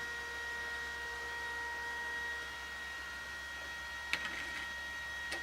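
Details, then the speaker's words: Macintosh vintage computer being restored, powered on: steady high-pitched fan whine with tonal lines and a couple of sharp ticks; cooling fan loud and rough, needing replacement. "oh this fan is awful sorry about the noise"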